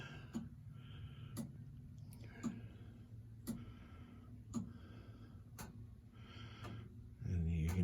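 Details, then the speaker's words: Gottlieb pinball MPU board after alkaline damage repair, tested in a Spider-Man machine: quiet regular clicks about once a second over low hum as the coin door relay cycles during lamp test; working normally. "you can hear the coin door relay, and now all the lamps are cycling."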